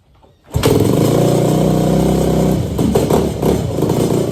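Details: Yamaha YZ250F single-cylinder after revival with carb and exhaust pipe refitted: kicks over and fires straight away into a rough but steady idle that keeps running; starts and runs fine.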